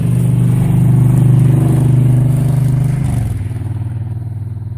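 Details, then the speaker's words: 2005 Honda VTX 1300R before Cobra slip-on and jet work, first baffle drilled with about five 3/8-inch holes, about 15-16°F: deep uneven V-twin lope around three to four beats a second, slightly rough from cold but steady. Healthy. "Honda 2005 VTX prior to the exhaust modification. This bike now has the first baffle tapped out with about a 3/8 inch hole, about 5 of them."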